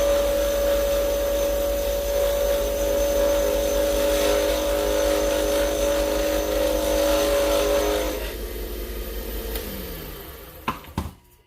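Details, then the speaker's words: Wood lathe turning acrylic for pen making: buzzy vibration while spinning, then spin-down, because the tailstock was not tight enough against the mandrel; tightening it stops the vibration. "Tightening this up because I hear the vibration in it. I want to stop it. It lets me know from the sound I can hear that my tailstock was not tight enough against my mandrel."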